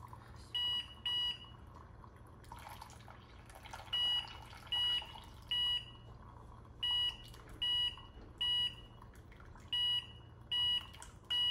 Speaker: if the water is close to the target water amount you will hear three